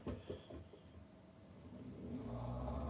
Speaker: You'll hear it cycle on and try to drain water and then turn off, and it'll just keep cycling. It won't stop.